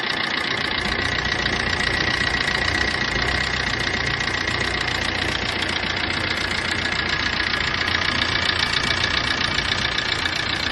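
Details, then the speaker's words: Maruti Swift diesel idling after start: loud, fast tapping from the top end about three or four a second; valve/tappet noise from oil starvation, blamed on a blocked oil filter in the oil cooler or thickened oil from poor maintenance. "இந்த மாதிரி உங்க இன்ஜின்ல noise வரதுக்கு காரணம் என்ன தெரியுங்களா நீங்க ப்ராப்பரா engine ஆயிலையும் oil பில்டரையும் maintain பண்ணாததுதான்."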